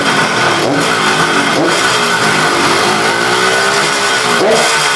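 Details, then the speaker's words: KH250 three-cylinder two-stroke motorcycle revived after 32 years in storage. Throttle blipped from idle: crisp revs rise and fall cleanly, no misses or rattles, and the idle stays calm; normal revving. "contoh misalkan pada saat kita gas dari nol begini teng teng nolnya kan tenang Nggih itu menunjukkan bahwa mesin tad"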